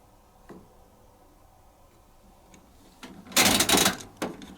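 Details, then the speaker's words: Elektruwash Compact 033x super slim 4kg 500rpm washing machine, detergent loaded: single firm clunk as dispenser diverter shifts over from prewash; normal diverter click. "make sure it clicks when it does that you can hear that fud because that's the obviously the diver moving over from the prh"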